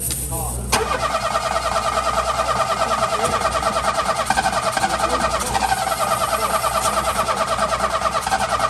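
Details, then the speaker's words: Engine cranking steadily with part throttle held but never firing; fuel is not being drawn through, so it is starved of fuel. "fuel it's not dragging the fuel through mate full stop"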